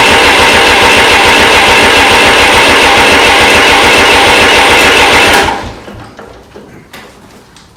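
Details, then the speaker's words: Restored 1993 Lombardini diesel generator after bleeding the injectors: loud uneven diesel clatter for about five seconds, then it suddenly dies; runs rough and cuts out, suspected drawing too many amps and cutting the fuel relays. "chris did say the reason it started farting about it was sucking too many amps and cutting off those fuel relays possibly"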